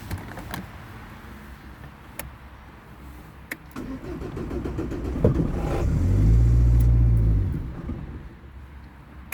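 Steady starter churn, about four turns a second, swells and fades without the engine ever catching or settling into a run: cranks, won't start.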